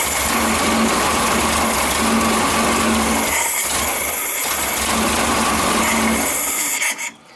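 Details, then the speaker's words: 1974 Super Beetle rebuilt air-cooled flat-four, first start after reinstall: stumbles unevenly, never settling to a steady idle, then cuts out; fuel not yet through the system, so it was primed. "there it is it's alive and it's dead it might take a little bit to get the fuel through the system"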